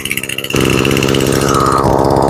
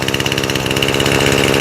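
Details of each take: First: Echo SRM 225 two-stroke string trimmer after carburetor rebuild, choke off: steady buzzing even idle, slightly high but smooth; running cleanly, idle adjustable by one rear screw. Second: Echo SRM 225 trimmer after carburetor rebuild, choke off after first run: starts right up, fast, even buzzing idle with a steady rapid beat, running cleanly but idling a touch high.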